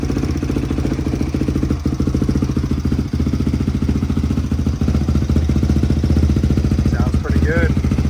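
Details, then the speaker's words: Barn-find Honda CRF unrun for years, cold start on first kick, choke off, after valve adjustment (three of four valves out of spec): steady, even single-cylinder thump at idle, no missing, hunting or knocking, brief whistle near end, barely smokes; healthy idle. "Bike sounds good. Sounds like a Honda. Um, doesn't even really smoke."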